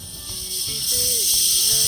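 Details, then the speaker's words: Volvo truck rear air suspension leveling (height control) valve, removed and checked: steady loud hiss of air dumping that never stops with the arm level, something loose inside; the valve fails to close and needs replacing. "So it's too much to down. This level should stop dumping. See, it's keep dumping. It's not supposed to do it."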